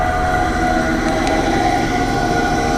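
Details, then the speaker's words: AAON 5-ton rooftop HVAC unit fan motor: loud steady droning hum with a high whine that never settles, motor wobbling badly; failing motor bearings. "ah here that that is awful nothing's wobbling like crazy"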